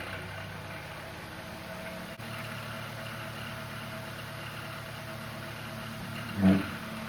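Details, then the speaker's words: Household fan slow to start, taking a few seconds to spin up and very noisy before cleaning and oiling: steady low hum with rough, uneven drone, no clean spin-up; dry, dusty motor bearings. "I have this fan that every time I turn it on it doesn't really want to start it takes a few seconds to start spinning and it makes a lot of noise"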